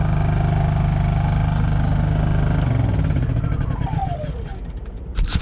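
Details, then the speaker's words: Honda EU3000is inverter generator after carburetor cleaning (previously ran only on choke): steady low hum with choke off, revs easing down smoothly, no surging or stalling; normal running. "So it's that simple, ladies and gentlemen. With just a little bit of cleaning the carburetor out, you should be able to get your Honda Eu3000is inverter back up and running."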